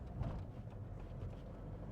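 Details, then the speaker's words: Diesel Hyundai i20 driving after engine mount replacement; previously rattled on clutch release, driving and cold mornings: even low diesel drone, no rattle or knock over road noise; fixed. "ഇത് ക്ലച്ചിൽ നിന്ന് കാലെടുക്കുമ്പോഴും ഓടിക്കുമ്പോഴും കാലത്ത് തണുത്തു കിടക്കുമ്പോൾ പട എപ്പോഴും ശബ്ദമാണ് പക്ഷേ ഇപ്പൊ ദാ നീറ്റായി സൗണ്ടോ കാര്യങ്ങളോ ഒന്നുമില്ല"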